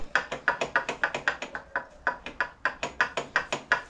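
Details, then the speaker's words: Vespa scooter during annual heavy service: gearbox output shaft rocked by hand gives sharp metallic clunks, about four a second, and feels broken, but it is normal play; the bearing has a plastic/teflon cage and needs no teardown. "Bunu gören bazı ustalarımız Sağ olsunlar vayı bozuyorlar niye bozuyorlar diyor ki ah milik ses yapıyor sök dağıt bunun içinde özel bir Rulman var ve rulmanın kafesi plastik kafesli arkadaşlar yani metal değil plastik teflon kafes aynı baga gibi"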